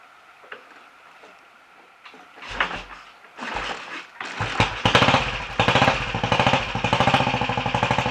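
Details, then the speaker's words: Royal Enfield 500 Bullet, very first start after top-end tuning (ported head, reseated valves, new guides, high-compression piston, bored cylinder, retarded inlet cam, ignition slightly advanced); a few dead kicks, then the single catches into a steady even thump, starting and running well. "but other than that she's willing to start [Applause] [Applause] which sounds quite happy new life that I'll run it for a little while get it warmed up check a few things over"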